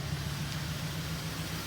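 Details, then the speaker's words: 2000 Volvo S70 five-cylinder after troubleshooting a fuel relay problem, temporarily fixed with a bypass connector on terminals 15 and 87; quiet, steady idle with even low pulse, no knocks or misses; ABS light on, brakes bad; running smoothly. "It does sound pretty nice, not gonna lie. Considering it's a 5-cylinder, this thing's actually super comfortable, pretty quiet on the inside when you're at highway speeds."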